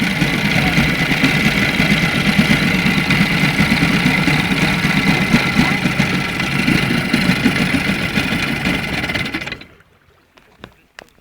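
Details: Moskva outboard boat motor at idle: rough idle with a hard regular knock about two per second until shutdown; connecting rod knock from excessive clearance, early crankshafts and rods having used 2.540 needles, later ones 2.498–2.500.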